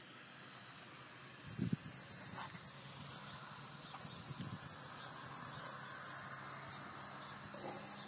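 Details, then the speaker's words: 2001 Jeep Cherokee Sport 4.0 idling after a 1.5-mile drive, temperature jumping from about 200 to warning lights: constant high steam hiss over a faint idle; radiator and thermostat already replaced, fixed by replacing the head gasket. "so here we are we're steaming again I don't know where the sources of the uh leak but you can hear definitely hear it"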